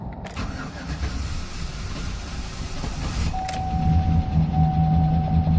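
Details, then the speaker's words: 2011 Silverado 5.3L, 126,000 km, after sitting eight hours at plus 12 degrees: starter grinds over three seconds before the V8 catches; hard start, cause unknown. "But I'm gonna fire her up right now and see if she struggles like she normally does."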